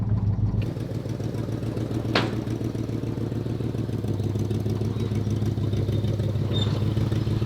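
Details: Abandoned 1967 Lincoln Continental V8 with a loud, lumpy, irregular idle and clatter underneath after a drive with no coolant; it runs rough, probably from overheating, though the exact cause is unconfirmed.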